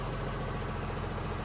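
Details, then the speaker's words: Freightliner M2 after replacing suspension control valves, diesel idling while air tanks fill toward 125 psi: steady even low rumble, no hissing bleed or leak racket from the valves; normal air tank filling. "I don't hear it all making racket down here. I hear the I hear the a tank filling up."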